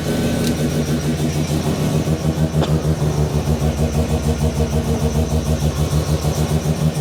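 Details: New Mazda 13B bridgeport rotary just after its first start, cooling system being bled and temperature watched: steady, even pulsing idle around two hundred beats a minute, no knocks or rattles; healthy idle.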